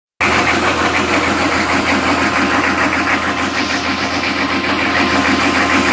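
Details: 1998 Chevy 6.5 turbo diesel, extremely rough idle: uneven, choppy, lumpy beat with loud clatter throughout; cause not yet found.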